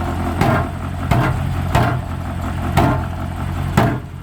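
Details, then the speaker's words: 1972 Range Rover at idle, warming up: steady idle with a sharp, uneven rattling knock about once a second. Owner suspects a loose exhaust baffle or a stone in the silencer, with no leak; exhaust rattle. "there's a vibration of the exhaust under here baffle shaking itself loosen the exhaust"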